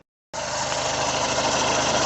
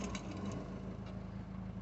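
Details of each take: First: Peugeot 2008 1.6 HDi DV6 diesel with 131,000 on the odometer, at idle: a rough, rattly chatter rides on a steady idle from a worn crankshaft pulley, only slightly quieter after spray grease behind it; the fix is replacing the pulley. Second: Peugeot 2008 1.6 HDi DV6 diesel at 131,000, after crankshaft pulley replacement: low, even idle with a steady rumble and no knocking, rattling or wobble from the front of the engine.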